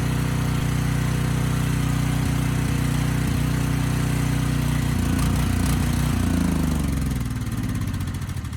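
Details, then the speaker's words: Briggs & Stratton Storm Responder generator (model 030430-00, engine 21T212-0116-G1), previously stuck at TDC with fuel-flooded oil, final test after repair: steady drone dips and recovers as load comes on; speed raised to 61.5 Hz, loaded to 3000 W and holding 60 Hz. "loaded it to 3000 watts and the engine speed held just fine at 60 hertz"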